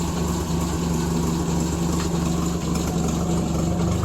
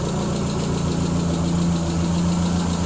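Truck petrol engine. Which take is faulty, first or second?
first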